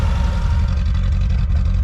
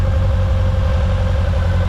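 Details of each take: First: Suzuki Samurai 1.3/1.6 converted from carburetor to GotPropane kit, idle screw set after first start; steady, even low idle on propane with no misses, knocks or hunting, sounds fine. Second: Suzuki Samurai 1.3/1.6 just converted from carburetor to GotPropane propane kit, first run; idle initially set high, adjusted with a screwdriver. Steady low idle rumble sagging slightly as the high idle is screwed down; high idle speed.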